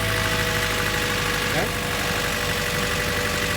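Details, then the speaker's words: Honda Civic with one fuel injector deliberately unplugged: uneven, lumpy idle with a regular stumble as that cylinder drops out, demonstrating a misfire. "it's running rep like that chances are check your fuel injectors check your cabling okay check your wires okay"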